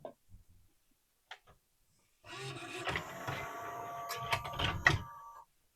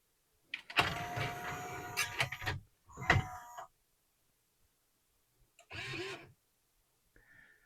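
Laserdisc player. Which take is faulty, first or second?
second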